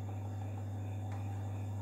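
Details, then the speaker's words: Miyako electric fan that only hummed because its motor was sticking, running after the motor was lubricated (fuse intact), tested on speeds 1 to 3. Steady, even low hum with no scraping or labouring; the motor runs freely. "kita coba colokan dan alhamdulillah kipas sudah menyala dengan normal ya teman-teman kita coba speed 1"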